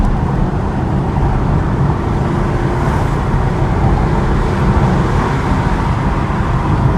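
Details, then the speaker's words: 2015 Chevy Camaro after the cylinder 6 injector fault (P0206/P0300) was repaired: heard from inside the car pulling hard uphill, a steady deep roar with no stumble or miss, reaching nearly 100 km/h in about 5 seconds. "señores esto quedó perfecto casi 100 km por h en 5 segundos más o menos esto quedó muy bien muy muy bien"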